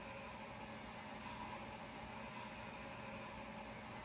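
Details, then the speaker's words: MTH Premier N&W Class A model locomotive smoke unit after rebuild with less wicking material, fully assembled on track, smoke volume at medium and unit not yet primed: faint steady hiss with a thin whine underneath; still producing a decent amount of noise while smoke streams out. "It's still producing a decent amount of noise."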